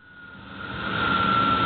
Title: strange noise from my belt area